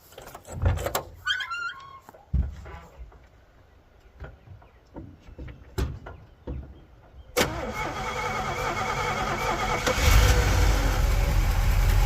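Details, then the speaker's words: 1959 Chevy El Camino V8 with glass-pack mufflers, off the road 29 years with overhauled mechanicals, started for its first shakedown drive and warm-up. Quiet clunks, then it catches at about seven seconds and settles into a deep, steady burble; normal start and idle. "All right, let's go. All right, looking and sounding good."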